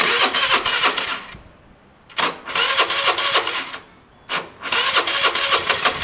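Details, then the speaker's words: Chinese scooter thought to need an engine rebuild: fires in short ragged bursts, dies after a second, restarts just as rough; rough running, poor compression possible. "so [Music] so it's not sounding great is it"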